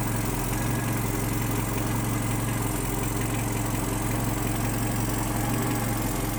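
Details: Datsun 120Y after filter and oil changes and timing and idle adjustment: a steady, even idle with a smooth low pulse and no knocks or ticks. Normal idle.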